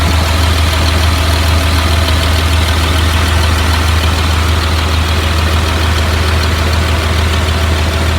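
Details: 2004 Blue Bird All American 72-passenger school bus at steady idle: deep, even rumble with no knocks, misses or hunting; engine idles smoothly and sounds healthy, automatic transmission engages.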